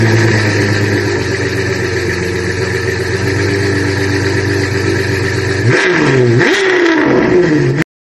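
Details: Suzuki Multicab F6A engine misfiring: uneven, stumbling run that lurches as it revs, caused by oil soaking the spark plug, interrupting the spark.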